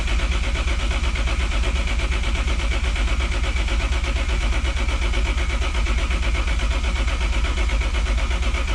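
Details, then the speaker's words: BMW E36 with swapped Toyota 1JZ engine cranked with main and fuel pump relays pulled (no fuel, no spark) to check oil pressure, previously started without any; even cranking about three compression pulses a second, turns freely, no binding; reached 25 psi. "i only have one gauge wired up right now just kind of jankily and i want to see if i can crank the car and get oil pressure so let's crank it"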